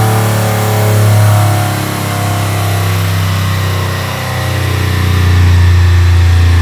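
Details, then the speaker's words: Aston Martin V12-swapped Foxbody Mustang on a dyno, getting warm, full-throttle tuning pull: loud engine climbs, then sags and holds flat in repeated surges instead of pulling through; suspected soft limiter or safety cut, unconfirmed. Power cut at full throttle. "All right, so the Mustang is hitting like kind of a brick wall in the tune anytime he's full throttle. If he's trying to like power through it and whatever, you can hear it. It's like some kind of either soft limiter or safety"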